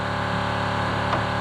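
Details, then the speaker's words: Rover SD1 V8 historic rally car, sat in a barn over 20 years, with 10 L fresh fuel added: the electric fuel pump gives a loud, steady buzzing hum that never quietens, so it runs but is not picking up or delivering fuel. "That is a noisy pump. Don't don't sound like the pump's picking it up cuz they know the pump's normally quietened down when they pick the fuel up. So, we determined that the fuel pump isn't actually working."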